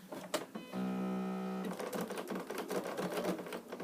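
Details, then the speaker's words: Sewing machine stitching a few forward stitches down a seam: even motor hum then a rougher clatter, which the sewer recognises by sound as the bobbin not inserted properly; confirmed on removal and reseated. "it sounds like my bobbin's not in properly, I can always tell, so I'll just pull that out."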